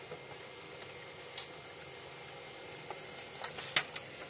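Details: 2012 Xerox WorkCentre 6015NI printer, about 4000 pages, after repairing a phantom paper-jam error (resistor replaced, mis-seated register spring): quiet, even feed whir with light ticks and soft clunks as sheets pass; normal printing.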